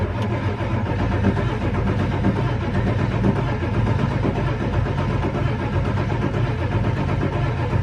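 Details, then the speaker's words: 1999 Ford F350 7.3 Powerstroke diesel at about 52°F, before a Melling high-volume oil pump fix: a slow, steady starter churn about once a second cranking on without catching. Oil pressure gauge reads zero; hard start traced to weak oil pressure. "Okay, so I was cranking it pretty good, and that oil pressure gauge is doing 0. Like nothing."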